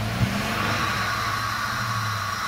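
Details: 1997 Dodge Caravan after fixing bad ground contact in harness by bending pins: steady even engine note with smooth low rumble, no knocks or misses, holding revs; previously would not start.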